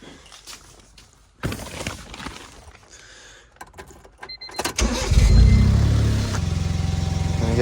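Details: 2002 Honda CBR900RR (954) Fireblade, 22 years old, sat for months, basic cleaning, started on a weak battery: after a brief crank the four catches about five seconds in and settles into a steady, even idle; starts healthy, sounds mean.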